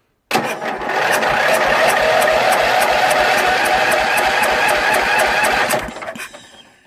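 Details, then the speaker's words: Jonsered LR 13 mower, Briggs & Stratton 12 hp (model 284707) after rewiring and added ground wire: starter cranks steadily about four beats a second for five seconds without firing; owner says battery is getting weak, needs help. "Alors, faut l'aider un peu. La batterie commence à être malade."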